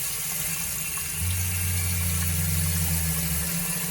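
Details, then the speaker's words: Shurflo RV water pump running directly off the batteries at lowered voltage, which affects pump speed. A low motor drone starts about a second in and runs roughly two seconds before stopping, with changing water flow: short cycling. The fix is an accumulator tank. "you might be able to hear the pump recycling and that the water flow is changing"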